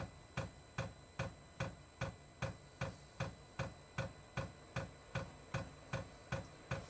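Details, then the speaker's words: Diesel parking heater (all-in-one type) first test fire after install in a shuttle bus RV conversion: crisp, even dosing-pump ticks about 2.5 per second in a quiet background as it primes the fuel line before the igniter lights; normal priming. "It has to pump that fuel line full. As soon as it gets fuel, the igniter will go off and it'll start up."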